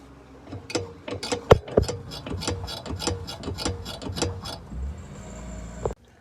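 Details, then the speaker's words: 2017 Chevrolet Tahoe rear end rocked by hand: sharp, rapid clicks from the loose lower shock absorber mount bolt moving back and forth; tightened with a 13/16 wrench. "I was able to find this bottom section where the shock is mounted is actually loose, moving back and forth, making a clicking noise."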